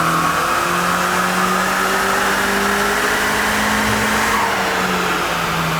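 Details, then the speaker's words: Turbocharged Mazda MX-5 on the dyno during an ECU tune, high load under boost: loud rising drone that wavers and stumbles unevenly. Misfire because too much air is blowing the spark plug out; spark plugs being changed. "So what we're having to do now, or what Nick is having to do now, is he's going to change the spark plugs because we're getting a bit of a misfire. Basically, there's just too much air and it's just blowing the plug out."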